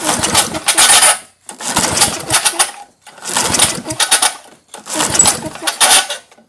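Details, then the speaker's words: 1978 Craftsman-branded Tecumseh LAV50 small engine, bought old and run blind: four rasping recoil pulls about a second and a half apart, no firing; choke linkage found disconnected. "Hold on. It's trying, I hear it."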